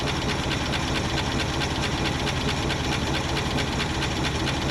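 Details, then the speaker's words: Old IH 4x4 Loadstar ex-fire truck revived to run, fuel pump suspected bad with no fuel reaching carburetor: even, steady beat at quick idle with no knocks or misses; engine sounds healthy though truck needs work. "Sounds really good though. Yeah, I think she needs some work."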